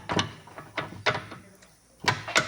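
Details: Mercedes-Benz W211 left suspension on a lift: irregular dull clunks, about six, as a ball joint is rocked by hand. Its free play caused the knock, and the joint was replaced.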